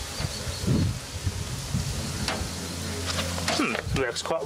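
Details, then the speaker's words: Vintage Crompton Parkinson electric motor after cleaning, running without getting hot: a loud, steady low hum under its running sound; owner suspects a partially shorted run winding, drawing 12 A instead of the rated 2.15 A. "That hum worries me. Well, I don't smell any burning, so that almost sounds like it's a partial short, or it's partially shorter with a hum like that."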